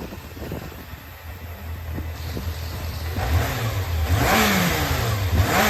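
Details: Yamaha XJR400 4HM early engine assembly, compression tested, start-check run: four-cylinder revs up cleanly from idle, pitch rising evenly with throttle, no knocks or rattles; no abnormal noise, healthy.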